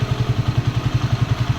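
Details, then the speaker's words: Small sidecar motorcycle engine after replacing broken connecting rod, idling with even low thump about eleven pulses a second, quiet again with no more knocking. "Okay na uli mga tropa. Tahimik na uli yan tahimik na uli. Ayos na."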